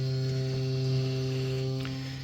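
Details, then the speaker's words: Boiler on: steady low hum from the hot water cylinder as primary-circuit water flows too fast through its coil, vibrating. Return gate valve fully open; fixed by partly closing it. "t makes noise due to the vibration so we can fix this issue either minimizing the speed of the pump or closing um or adjusting the gate valve"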